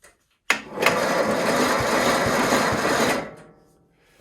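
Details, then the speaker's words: Ariens 1336 snowblower with dead battery, cranked via booster pack; starter spins engine briskly for about three seconds, even whirring churn around three beats per second; normal starter cranking. "So I'm just going to quickly hook up the booster pack. Just hear it crank, and that will at least let me know that it will work."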